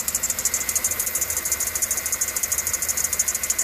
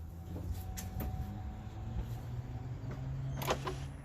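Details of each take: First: 2013 Chevy Suburban 1500 5.3 at idle with a new-looking serpentine belt: rapid high bird-like chirping squeak about three times a second from a worn belt tensioner pulley bearing with debris on its surface. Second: 2013 Chevy Suburban 1500 5.3 after replacing the belt tensioner, whose pulley bearing had failed and caused a loud squeak: some clatter, then the engine fires and settles into a smooth, steady idle with no squeal or chirp from the belt.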